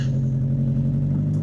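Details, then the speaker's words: Toyota MR2 4AGE just started after sitting for months: deep, steady rumble at constant speed with no misses or tapping; running cleanly. "No, it's running. Good old Toyota. 4AGE, baby."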